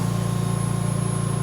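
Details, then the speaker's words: VMUS-DG1 double-quartz corona-cell ozone generator at 50% output: a steady electrical buzz with fine, even pulsing and no crackle, pitch rising with output. This high-pitched buzz is completely normal. "that buzzing noise keeps going at a higher pitch. This high pitch of buzzing is completely normal and nothing to be worried about while using your ozone generator."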